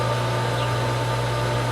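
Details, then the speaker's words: Pool pump first start of season, now primed with water flowing in and out: steady even motor hum with constant tone and smooth water rush, no grinding or surging; normal running. "there's water going in there's water going out she's picking up she's picking up we're nowhere near but we're getting close we're getting close we're definitely getting somewhere we got water in we got water out"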